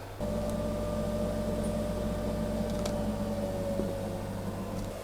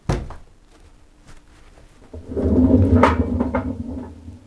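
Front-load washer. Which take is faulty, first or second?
second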